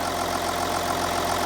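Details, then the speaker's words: Audi Q7 3.0L diesel after replacing cylinder 4 fuel injector (codes P0272 misfire, P0087 low rail pressure): steady, even idle, no stumble or missed beats; no codes, misfire fixed. "as you can hear the engine is running this engine sounds great can you tell the difference now"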